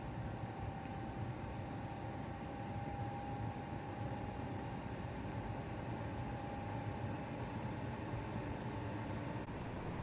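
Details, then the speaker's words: Chinese diesel parking heater showing error E-8 (fuel/combustion): a steady blower rush with a faint strained whistle but no dosing-pump ticking, even though fuel is being called for, and smoke appears. The owner suspects the fuel pump is seized again after one earlier fix. "uh all right this is kind of weird it say it's calling for uh calling for fuel that'll logo there my pump is not running so sounds like my uh fuel pump might be seized and I have fixed this once already with this machine"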